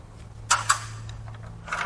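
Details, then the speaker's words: Blown GM 6.2L V8 (L9H, Escalade/Denali) turned over by hand on teardown: slow rotation with sharp metallic clinks and rattles like a cash register, loose debris from broken connecting rod. "until it doesn't actually it sounds like a cash register in there"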